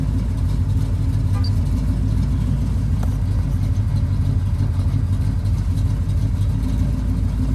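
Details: Cammed 305 small-block Chevy in a G-body Pontiac Grand Prix, shaking and rough at idle and in stop-and-go after new plug wires: lumpy idle with uneven stumbling exhaust beat from a misfire.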